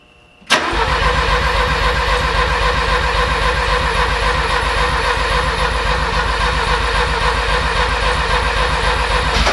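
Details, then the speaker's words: Porsche 924 with rebuilt engine on first start attempt: strong rapid cranking at almost four compression beats a second, nearly catches but never fires; battery terminal getting hot. "the battery terminal is getting hot on this one as well but that wanted to start did you hear that again"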